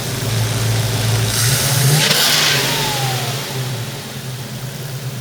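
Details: 1972 Ford Mustang 351 V8 converted from 2-barrel carburetor to Chevy pickup throttle body fuel injection, throttle snap: quick, clean rev rising and falling with no stumble, popping or hesitation; normal throttle response.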